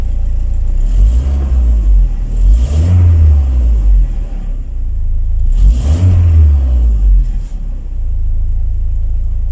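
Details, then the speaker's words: VW Passat B3 with the 2E engine, after the crooked front engine mount was loosened and realigned to cure cabin vibration: a smooth, steady idle that swells cleanly through two throttle blips. The engine now sits still and runs without shudder or knocks. "Двигатель стоит там, неподвижный, как бревно. Работает плавно, без рывков и зависаний."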